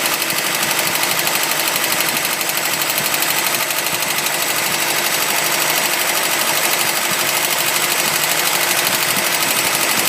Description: Golf mk1 rattle sound on further investigation I looked at the water pump pulley and saw it wobbling and it was banging against the pulley cover, so I still have to fix it.